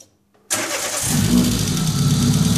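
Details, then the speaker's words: Peugeot 106 1.6 Rallye after 1.3 inlet conversion with a cone air filter, first cold start: silence, then a quick crank and the engine catches cleanly and settles into a steady, even idle; healthy first start. "Айди Менко, запали тук, да видим какво става. Дали ще работи, дали ще държи 2000 оборота, ни нам."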